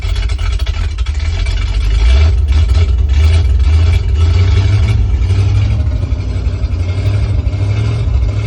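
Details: 1968 International Loadstar 392 V8, first run after tapping the carburetor bowls (likely a stuck float), new Holley inline electric pump, choke used: heavy idle surging and sagging every second or two as if about to stall. Owner says idle needs adjusting.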